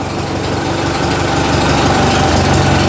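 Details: Ford 2N tractor finally running after earlier no-fire trouble: even idle at about four firing pulses per second, no knock or tapping. Charging well, oil pressure about 20, healthy.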